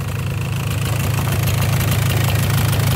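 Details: 1994 Polaris 400 liquid-cooled 400cc two-stroke 4x4 ATV with new recoil and ignition switch, running and cleaned up; steady low burble with even pulses holding speed without stumbling: normal idle.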